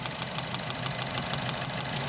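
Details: 2012 Chevrolet Cruze at 77,000 miles with a cylinder 4 misfire: uneven idle with a faint hiss and crisp snapping ticks as the coil pack sparks under the hood; a failed OEM coil pack is suspected.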